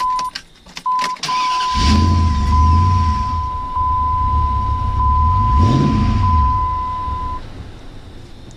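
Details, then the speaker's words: Truck after starter replacement (recent water pump change): over a steady warning chime, a brief crank catches quickly into a smooth, even idle; new starter and start sound healthy. "Listen to that raw power."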